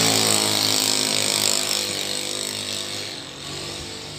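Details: Carburetted Honda Beat scooter that had badly cut out ("ngepos"), revved after carburettor air screw adjustment. Clean rev that climbs and falls smoothly with no bog or stumble; judged good. Other suspected causes are vacuum rubber, air filter and CVT.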